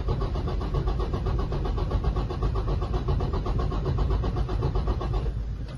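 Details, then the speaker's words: 2018 Freightliner Cascadia Detroit diesel, scanner compression test after valve adjustment: even, strong cranking about four beats a second with equal pulses; cylinder 4 compression, previously very low, now normal. "si se dan cuenta la compresión anterior estaba muy baja la del cilindro número cuatro ahora las compresiones están perfectas"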